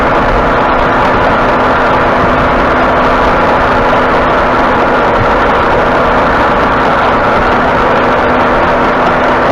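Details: 2018 Ford F150 at about 67,000 miles, cruising with the wheel turned slightly: a steady low hum over heavy road noise from the front end, like an aggressive tire. It started two weeks ago, and the front end feels like it is hanging up.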